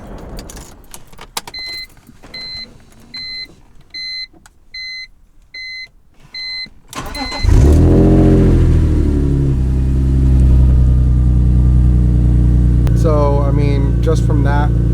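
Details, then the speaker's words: Normal start on a BMW E46 M3 after fuel injector cleaning, which followed fuel pump and filter replacement for a first-crank no-start: chimes, then the engine catches immediately and settles to a steady idle. It has started first try for days. "i have been starting the car for the past couple days the same way and it's every single time started up on the first try i'm very happy"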